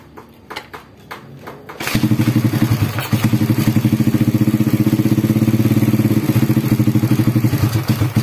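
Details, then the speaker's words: Honda Supra Grand motorcycle after replacing the cam chain: catches and settles into a steady, even putter with the earlier chain rattle gone after about a minute; exhaust slightly loud but engine healthy. "Nah kayak gini suaranya Udah halus kembali ya Tadi parah banget gemericik banget ya karena roll katanya habis nah ini udah mendingan ya"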